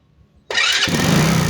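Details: Motorcycle with high tension wire held gapped from the spark plug, no cap, gives quiet clicking then catches on one click and settles to a steady idle; hard starting, spark plug suspected.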